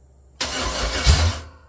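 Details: Chevy S10 with a 6.0 LS V8 swap, first fire-up on a weak battery: short crank, then it catches cleanly and settles into a steady rumble with no knocks or misses, showing 60 psi oil pressure; normal start.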